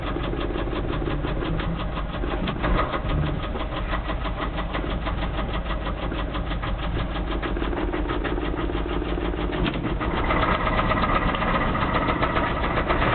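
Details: 1989 Dodge truck with a high-mileage 318 V8: steady running with a very loud, regular knocking tap that follows engine speed and grows sharper as revs rise; engine knock.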